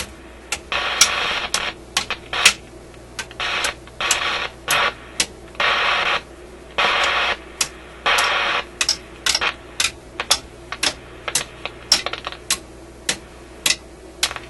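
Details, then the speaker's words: Canadian General Electric KM-5 vacuum tube radio, paper capacitors replaced, harsh crackle bursts cutting in and out over a quiet hum; intermittent audio output fault, suspected heat-related contact or bad tube contact, not confirmed. "kind of sounds like a heat related thing or something he's making contact Heating and then breaking off it's quite a distinct on and off to it"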